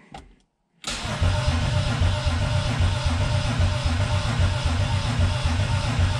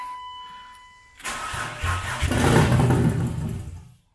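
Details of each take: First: Turbo BMW E36 build, first start-up attempt, about four gallons fuel, good battery and grounds: steady starter cranking at about four compressions a second that never catches; fuel feed and return lines reversed, feed line dry. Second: Turbo BMW E36 first start-up on jump box, throttle cable faulty so no revving: cranks, catches with deep loud V8-like rumble, runs a couple of seconds then dies as battery goes dead.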